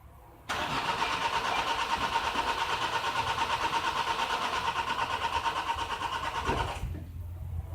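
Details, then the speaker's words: 2011 Nissan X-Trail common-rail diesel (dCi) with a hard-start complaint, cranked with the clutch depressed: the starter spins steadily at about three turns a second for six seconds with an even whine and never fires. "one more crash just being told this thing won't start unless you you depress the clutch when you're cranking"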